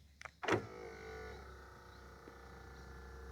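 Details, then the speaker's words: Panasonic Blu-ray player with stuck tray, open pressed, microphone near tray; single clunk then faint steady motor hum with no tray travel; mechanism tries to open but tray doesn't move, presumed same fault as the Lennox CD radio's. "So much quieter in this case, but it's definitely trying to do something. And I think it said open on the screen."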